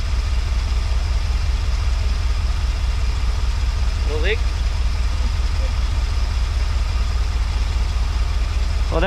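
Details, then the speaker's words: Early-1980s (81–82) Dodge 1-ton truck V8, sat about two years, running after a leaking line fitting was resealed, only two or three gallons of fresh fuel in: deep, even rumble at steady idle, no misses; normal idle. "was a pretty easy fix seems to be running pretty good"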